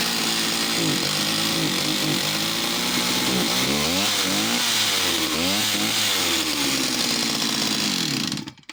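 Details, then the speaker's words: West German Stihl 041AV chainsaw needing TLC, last run before sale: the high buzzing revs swing up and down every second or so, running as if going lean then rich; a mixture problem is suspected. "she got that really interesting running like she's starting to lean and then richard's up but she's so complete so i hope she's a great project"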